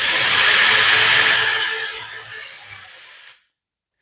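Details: Lesu 850K RC bulldozer track motor after repairing the failed right track: high steady whir that eases off, stops briefly, then starts again; normal operation, the motors themselves run smooth and quiet.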